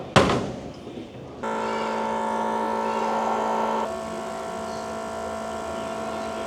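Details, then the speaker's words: Chieftain tank's Leyland L60 multifuel two-stroke, revived after years sitting, during the fuel bleed. The original electric fuel pumps give a steady, even buzz with no gurgle or surging; not cavitating and producing good fuel pressure. "The original fuel pumps are buzzing away quite happily. So, they don't sound like they're cavitating and they're obviously producing good fuel pressure."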